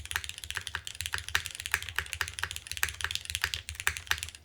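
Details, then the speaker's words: KBDFans TOFU TKL rebuilt with updated parts, Cherry MX2A switches: crisp even key clacks, no rattle or ping, some bass thud remaining; much improved. "Much better already. It still has some bass to it."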